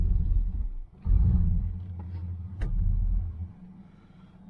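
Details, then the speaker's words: 1977 Chevy Malibu Classic, 72,702 miles, abandoned for 12 years, possibly low on gas, creeping along in gear: deep, steady V8 rumble rising and falling, no knocks or misses. Normal running. "the man she runs good runs good got breaks and it does move"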